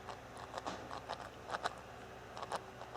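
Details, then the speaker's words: Tamiya Thunder Shot 4WD RC kit (1987 re-release) during build, differential gears twisted by hand: irregular crunchy clicks, gear noise from a mesh set slightly too tight; bushing possibly about half a millimetre too far forward. "you can hear a definite gear noise in there."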